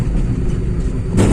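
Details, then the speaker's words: Volkswagen Polo 1.2 MPI after repair of cylinder 2 misfire: smooth steady low rumble with a clean rise, no stumbles or jerks; pickup normal on road trial. "उसके बाद जी का प्रथम normal हो गया कुछ भी problem नहीं है पिकअप गैरे में बिंदास निकाल ले रहा है"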